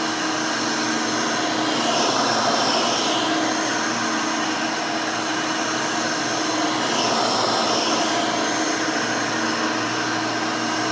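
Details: Rebuilt Hoover Elite 600 upright vacuum, built from parts of several Elites, with a new 7 amp, 20-blade-fan motor replacing the original 6 amp: a steady, even high whoosh with no rattle, scrape or surging. Runs very smooth and fairly quiet.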